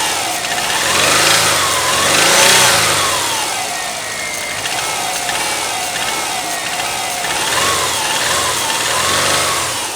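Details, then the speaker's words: Used Subaru flat-four at a salvage yard, cold start, not run that day: a hard knock in the rumble that grows louder with revs through repeated blips. It had knocked for over three years; the engine goes for parts. "так вот смотрите получается завелся начинает простукивать и начинаем делать вот так"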